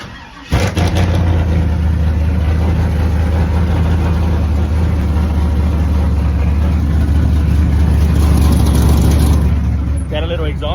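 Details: 6.0 truck with a months-old blown head gasket, first start since a burnout show, suspected slight misfire: starts and settles into a fast idle with a rapid puffing tick over the rumble, an exhaust leak at the flange.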